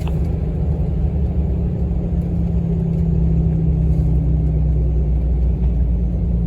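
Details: 2007.5 6.7 Cummins after exhaust pressure sensor replacement, driving in about 5th gear: deep, steady low rumble with no chuffing or leaks; exhaust brake pulling evenly, old sensor was faulty.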